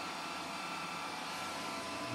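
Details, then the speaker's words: Old PC with 40 GB Maxtor hard drive at power-on: loud, steady airy rush with faint high whine from drive and fans; abnormally loud hard drive and fans. "all right that's a loud hard drive it's detected the hard drive and it's loud I can hear the hard drive and I can hear the fans this is one of the loudest things I've ever heard in my"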